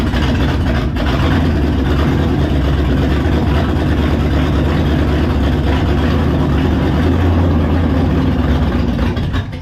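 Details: V8 on a test run with a used, rebuilt 4-barrel carburetor: deep, steady drone with an uneven, lumpy undertone at fast idle, rough running. Owner suspects the choke, carburetor, base plate or coil; cause unconfirmed. Water pumping out noted.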